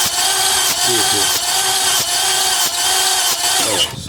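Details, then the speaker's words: 2004 Lexus RX 330 no-start with a leaking water pump: the starter spins the engine in a fast, light, too-free whir with no firing. Spark, injector pulse and fuel pressure are good; low compression, suspected blown head gasket or warped cylinder head. "all right so it is cracking okay but it's not starting"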